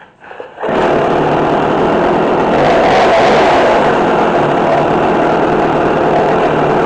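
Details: McCulloch Mac3216 32cc chainsaw with 16-inch bar, after carburetor adjustment (1/4 turn in, idle screw adjusted). It fires up and settles into a steady, even high buzz with no surging or stumbling; running clean and healthy.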